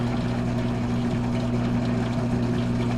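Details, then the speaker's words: Hotpoint VWSR4150DAWW washer with a new WH23X10013 drain pump, wired but still unmounted while watching for leaks after a no-spin/no-drain repair: switched on, there is an even low hum with water draining and no rattles, so the drain pump is operating normally. "so now I'm going to turn it on I can hear the water draining"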